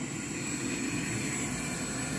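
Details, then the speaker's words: Walbro 450 LPH fuel pump (Ti Auto F90000267) on a bench flow test, raised from 13.5 to 17.5 volts at 40 psi: a steady, even whirring hum with a thin high whine and no surging or rattle as the pump speeds up, drawing 20.2 amps and flowing 2.3 gallons per minute; normal operation. "let's dial it up to that 17.5 you can hear the pump speed up for sure oh yeah we're pulling some major amps now"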